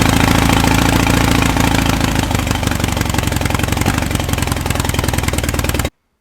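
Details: Air-cooled VW engine of unknown history on a starter stand, reassembled, out of vehicle, timing being set with timing light: strong, fast, even firing beat holding steady with no knocks or misses; healthy idle.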